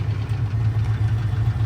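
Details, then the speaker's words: 1989 Chevy K1500 just bought after sitting about two months, first running. Steady low idle with a faint regular light tick and knock riding on it; the strange engine noise is not yet diagnosed. "a little bit of a tick tick a knock knock but definitely cool man"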